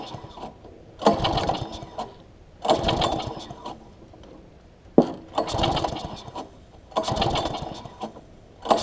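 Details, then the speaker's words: Quantum-powered 3.5 hp weed trimmer, freshly fitted with a new carburetor that was priming (wet inside); four quick rope pulls about two seconds apart, each a short sputtering crank that never catches. Hard starting. "I wanted to be a little difficult there let it rock up a little bit"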